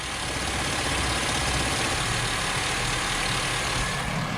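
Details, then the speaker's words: Engine-swapped truck with the EVAP purge solenoid and tank EVAP pump unplugged: the pulsing tick is gone, leaving a steady, even idle with a smooth hiss; normal idle, with the EVAP system pinned as the noise source. "I'm going to unplug those and see if that stops the noise I didn't even have to put it in the air hear the noise now it's gone"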